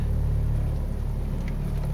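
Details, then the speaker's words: Honda Civic, cold idle in reverse: heavy deep rumble with strong body drone, no knocking; failed top engine mount, fixed by replacing the mount. "stick and reverse and you hear that rumbling noise and that is the engine mount failed"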